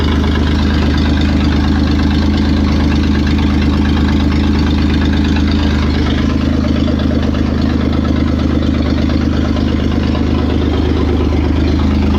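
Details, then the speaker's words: Toyota 4Runner 3VZ-E V6, first start after repairs for no compression on two cylinders, exhaust not fitted and vacuum lines disconnected: a loud, raw open-pipe idle with a steady low pulse and no knocking; runs on all six, or at least five, cylinders. "okay I'll say it runs and it runs on all six or at least five of them"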